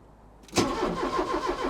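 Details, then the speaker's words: Porsche 944, off the road five years, after replacing the sensors at the back of the engine: short crank, then it fires and settles into a steady idle with no stumbling; first successful start, owner says it sounds a bit like a budgie. "I honestly can't believe we got her running sounds a bit like a Budgy but she's running"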